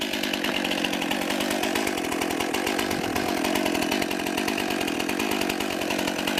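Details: New 50cc two-stroke chainsaw, about ten pounds, cutting firewood on a cold day: steady high buzzing rasp holding full revs through the cut without bogging; lots of power for its size, cuts cleanly, healthy.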